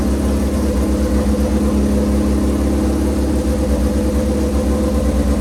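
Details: V-twin motorcycle idling after a choked start with fuel on: loud, steady loping V-twin idle with an even low thump and no knocks or rattles; sounds like a healthy engine running.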